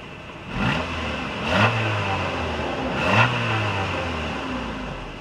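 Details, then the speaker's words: Junkyard axle-back muffler just installed: engine cranked, three quick throttle blips dying back to a soft idle, muted smooth note with no drone or rasp; quiet, normal exhaust. "That was excellent. You can barely hear it running."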